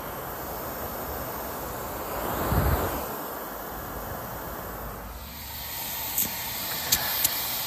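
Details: Goodman heat pump at an apartment complex that lost all its refrigerant after a shorted wire blew a hole in the refrigeration line: steady airy hiss of escaping refrigerant under outdoor noise and geese calls. Refrigerant line leak.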